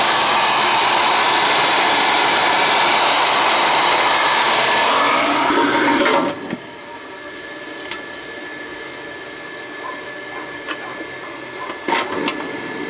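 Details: Riello oil burner that would not fire, after fitting a 60-degree nozzle and adjusting the electrodes: a strong, even roar at steady pitch with no pulsing, then a clean shutoff; the burner now fires properly.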